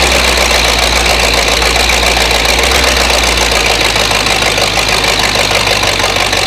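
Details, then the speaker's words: Flathead V8 (truck engine) first run on homemade engine run stand, now hot: loud, uneven, lumpy idle with cylinders misfiring, slowly coming back to life; more heat cycles planned. Rough running, cause not confirmed. "I basically want to run this thing through a couple more heat cycles cuz you can heard it hear it starting to come back to life. It's slowly the cylinders are slowly coming there."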